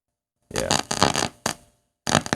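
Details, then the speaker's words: Raspberry Pi audio with a PCM5102A DAC feeding a TPA3116D2 amp, DAC supplied at 3.3 V: choppy, harsh raspy buzzing comes through the speaker at zero volume, overdriving past the digital potentiometer; it goes quiet at 2.8 V. "yeah see you can hear so it was up at 3.3 volts you can hear it defeating defeating my potentiometer"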